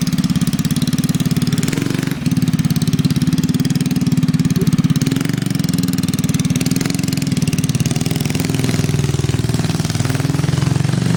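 Steady, even idle with a smooth regular beat and no knocks or misses; the engine sounds healthy and settled.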